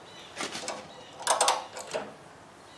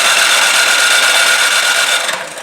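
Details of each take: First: Craftsman 26 Quiet snowblower (model 247.886940), after cleaning a gummed-up carburetor and priming: engine catches on choke after light clatter and runs fast and even with no misses. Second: Craftsman 26 Quiet snowblower (model 247.886940, under about 5 years old), no-start even when primed with fuel on: steady starter whine cranks about two seconds and fades without catching; later traced to the carburetor.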